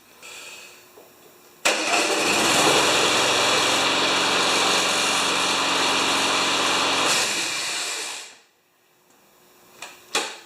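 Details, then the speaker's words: Yard Works (MTD) mower with Briggs engine and wind-up spring auto start: engine fires instantly off the spring start and runs steady, then brief screech at shutdown as the spring rewinds for next start; normal. "And did you hear that horrifying screech at the end? It actually winds the spring down in here for the next time."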